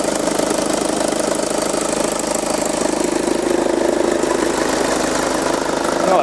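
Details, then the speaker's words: VW Passat B6 2.0 TDI idling after the ribbed accessory belt fault that caused an odd engine noise was found and fixed: smooth, even idle with no squeal or chirp. Normal idle after repair. "hört sich ja viel besser an"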